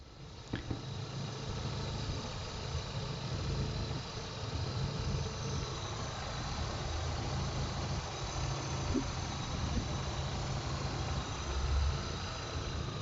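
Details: A petrol engine idles smoothly with a steady low hum and no knocking or ticking; the earlier noise was traced to a water pump with play, and the pump, belt and tensioner rollers were replaced.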